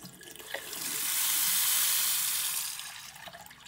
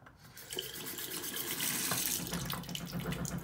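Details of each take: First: and there we go it doesn't matter how slowly we turn the tap on or off there is no pipe hammer anymore perfect Second: so pipe hammer occurs where the spindle and attack is worn allowing the water to flow up and down the tap washer causing that vibration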